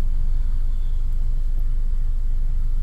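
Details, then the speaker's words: 2008/2009 Toyota Camry with check engine light and hard starting that needs throttle to keep running, at 186°F coolant; shakes badly at idle, worse with AC on and as it heats up, then dies. Lumpy, stumbling low-compression rough idle. "the AC is on now it's shaking pretty bad there we go so when it's when it gets hotter it just gets worse"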